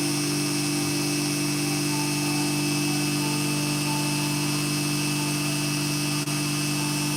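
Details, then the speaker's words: Hair clipper with a freshly sharpened barber's blade: even steady buzz with a clean hum, no rattle or catching. Blade-drive socket judged fine, no adjustment needed; blade properly seated and running smoothly. "Let's see how this one sounds. Not bad. So we're not going to adjust the socket on that one. That one sounds pretty good."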